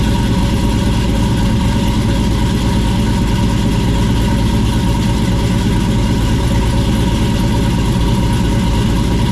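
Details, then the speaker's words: 1967 Camaro with LS V8, new 3-inch exhaust with Flowmaster Super 44s over the axle, no crossover pipe: loud lumpy idle with occasional uneven beat; possibly developing a miss or fouling plug, tune needs work, unconfirmed. Possible misfire at idle. "Doesn't sound bad. Sounds like it might be developing a miss. You're trying to foul a plug or something."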